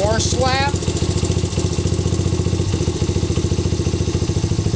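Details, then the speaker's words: Honda CRF/XR 80/100 single-cylinder, warmed up at idle before cam chain fine adjustment: light rattly slap on every beat, about three to four per second, from a slack timing (cam) chain. "what I'm going to do is start my engine and warm it up a minute and you can hear some of the little bit of timing chain slap"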